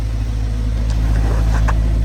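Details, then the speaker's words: 2015 Subaru Forester after replacing the blown muffler with a Walker Quiet-Flow stainless muffler: deep, even, low idle rumble and revs with no rasp, ticking or puffing leak; exhaust now normal and quiet. "let me rev It Up sounds normal it's flowing guys it's working"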